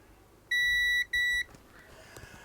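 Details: Amiga 500 Plus motherboard after battery-leak cleanup, multimeter continuity check from Gary chip pins to nearby resistors: two clear high beeps, each about half a second, as probes meet; the trace is intact.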